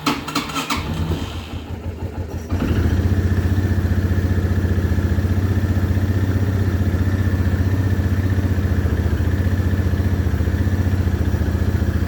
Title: cold hard start china quad access 300